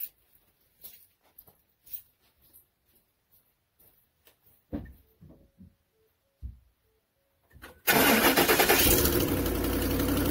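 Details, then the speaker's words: 2010 Ford F150 5.4 with a cracked exhaust manifold, cracks visible top and likely bottom; it has had repeated manifold replacements. Cold start catches into idle with a quick, even ticking puff on the exhaust. Exhaust manifold leak that fades after about 5 minutes of warm-up. "That's quite annoying. So it'll warm up about 5 minutes or so, and the sound will pretty much go away."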